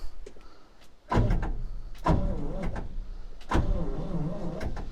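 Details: 1968 International 1500C dump truck, V8 (possibly 345), sitting about 20 years, in neutral: three short bursts of sluggish, laboring cranking with slow uneven turnover, not catching.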